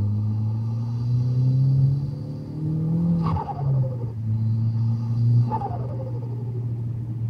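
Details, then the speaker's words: Skoda Octavia RS big-turbo 1.8T, Greddy Type-S blow-off valve: low steady idle, then twice on lift-off a sharp rush chatters and drops away; valve not opening, adjustment made no difference, broken vacuum hoses leave no vacuum signal to its assist port. "so this is the setup as we've just seen this valve actually has an extra Port here and this is to assist the valve to open if it's not opening under"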